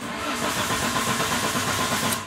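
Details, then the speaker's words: Fiat Ducato 2.3 diesel after front-end accident, mic near the engine: starter churns evenly with regular compression beats but never catches; tester shows zero volts at the orange wire feeding the pump's MP metering valve. "Então a gente vai identificar esse defeito aí se ela só fizer zoada aqui o carro não pega não adianta que não pega"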